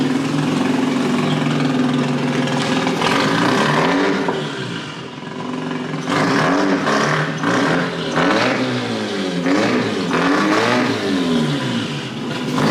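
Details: Mazda RX-8 rotary, hard cranking with no start: cranking churn rises and sags in pitch as the throttle moves, bogging slightly, never firing. Owner suspects it needs plugs or isn't getting enough fuel.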